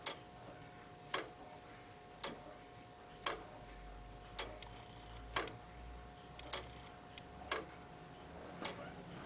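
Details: Crown-wheel escapement of an early clock (type made 1680–1850) after topping the crown wheel, leaving a tiny flat on each tooth: crisp, even ticks just under one a second, each drop from paddle to paddle identical; the beat is true and healthy.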